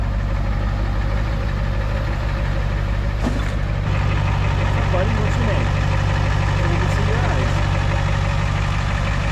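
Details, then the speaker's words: Diesel truck after being low on diesel and priming out an air pocket in the fuel hose: steady, even idle with a regular low knock around three beats a second, no stumble or hunting. Runs clean, normal idle. "so it was just low on diesel I had an air pocket in the in the hose down there probably right up"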